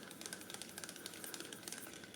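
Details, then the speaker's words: New Shimano Socorro SW 6000 spinning reel: quiet quick irregular tek-tek ticks as the handle turns; loose handle wobble, unlike the solid screw-in handle of the Daiwa BG 6000. "Shimano sokoro ini nih dengar ya bunyinya dengar enggak ya tek tek tek tek gitu"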